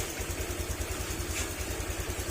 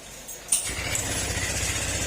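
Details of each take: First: Honda Click 150 scooter after overhaul for oil starvation damage, no check engine light: soft, even idle with the earlier metallic tang-tang tapping gone; quiet, healthy engine. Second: Honda Click 150 scooter run low on oil, before overhaul: fires up to a loud idle with a harsh metallic clatter; mechanic says it is a crankshaft and connecting rod problem and the block may also be damaged.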